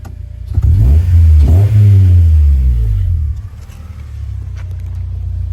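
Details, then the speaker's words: Exhaust of a 2004 Acura TSX (K24A2) with aftermarket modifications, revved a couple of times then settling to steady idle; deep, smooth, healthy exhaust note. "All right. The sound of the exhaust."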